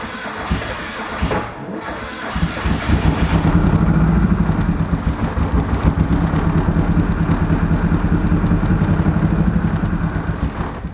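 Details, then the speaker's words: Rebuilt high-compression turbo Miata engine after base timing was set and the downpipe fitted. It runs lumpy and uneven, down a cylinder; a compression test found 200 psi on the others and zero on cylinder three. "It sounds like it's down a cylinder is what it sounds like to me."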